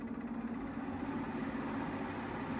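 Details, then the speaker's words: New Midea 10,000 BTU U-shaped window air conditioner at first start, cooling on auto at 22: steady low hum with buzzy shaking rattle over the top, which then goes away. Vibration shaking noise at startup. "making a weird sound of shaking okay i don't like that sound"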